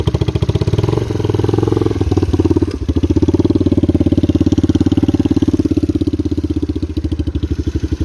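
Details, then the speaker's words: 1981 Kawasaki KL250 single, probably still cold, idling after valve adjustment, aftermarket exhaust, smokes and burns oil; steady thump with clattery top end, valve noise still loud, owner plans to recheck clearances. "but i don't know it sounds like the valve noise is still kind of loud so i'll probably have to go back in there and check it just to be sure"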